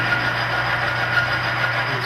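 Steady motor hum with a thin, sharp scraping whistle flickering on and off under load; the oil film is failing and the metal is scoring.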